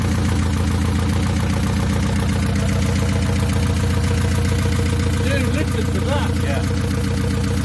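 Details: 1969 Ford Capri with Pinto engine, after fitting another carburettor with smaller choke: steady, even low idle with regular beat, no misses; runs much better.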